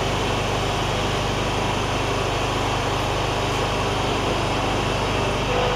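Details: John Deere ZTrak Z915E Kohler V-twin, sat 2 years, after starting: quick, even buzzing beat holding steady, no stumbles or knocks; oak leaves hitting the cooling fan. Running normally.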